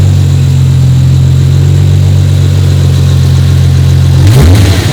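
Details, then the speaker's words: 1993 Toyota Supra RZ (JZA80), 2JZ-GTE twin turbo with Blitz exhaust and ECU, being diagnosed for a misfire and hunting idle; here it idles steady and even with no skips, then a brief throttle blip. Not misfiring at this moment. "I didn't seem to be misfiring so far it sounds pretty good"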